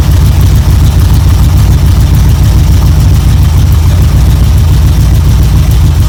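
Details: 1972 Chevrolet C10 V8 idling evenly after a choke start on a battery charger in about 40° drizzle; it briefly flooded, then ran with good oil pressure, deep steady burble, no knocks or misses, warming up: normal idle.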